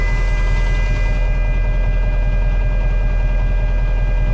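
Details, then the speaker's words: Mack CL713 E9 V8 500 hp diesel, just after start-up: steady high warning buzzer over the diesel idle while waiting on the air throttle, likely clearing once air pressure builds. "Anyway, no sense in listening to the buzzer going off."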